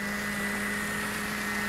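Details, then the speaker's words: Ford Fiesta Supercharger, high-mileage supercharger checked with compressor oil change: steady, even hum with faint constant high whine over a smooth idle; characteristic, quieter than before, no bearing replacement needed. "não tem problema nenhum com esse ruído que ele tá até mais baixo tava mais alto Beleza não tem que trocar rolamento nem nada tudo perfeitinho beleza"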